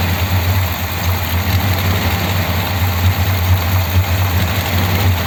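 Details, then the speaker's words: 1957 Ford Thunderbird V8: low, uneven idle with an irregular lumpy pulse and no steady beat. It is misfiring but running and not pushing fuel out; cause not yet known. Rough idle. "it's definitely misfiring isn't it but it's actually running and it's not brushing fuel out so I don't know why it's running"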